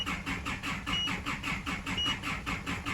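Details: Isuzu D-Max cranking: rhythmic starter churning at three to four beats a second, never fires; codes for EGR closed position performance and camshaft position, scan shows no engine speed with high rail pressure; cam/crank sync suspected; crank no start.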